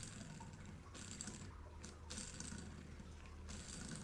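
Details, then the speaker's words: Polaris Sportsman 700 front differential teardown, bearing spun by hand, thrust bearing broken into chunks: gritty, ratcheting rasp in short bursts, no smooth roll; rough worn differential bearing. "But these bearings though, that does not sound lovely."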